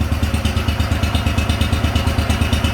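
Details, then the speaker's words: Wheel Horse garden tractor big-block Kohler single at cold idle on choke: rapid, even clatter over low idle thump is the hood rattling, not the engine. "Don't mind the rattle, that's just the hood,"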